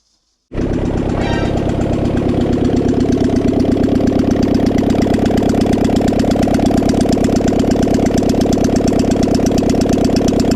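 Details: Honda Civic with G23 VTEC engine (H22 lost motion assemblies), exhaust manifold removed: loud open-port popping at steady idle with a light tick present since day one; owner unsure if knocking or piston slap; new Skunk2 lost motion assemblies didn't fix it.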